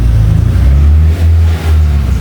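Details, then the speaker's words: Peugeot 206 after battery replacement and emergency fuel hose repair, now starting: deep clean engine note rising and falling with two quick throttle blips, smooth and steady; normal revving while checking for fuel leaks. "starter starter setelah ganti baterai ternyata hidup. Sekarang kita cek bocor tidaknya."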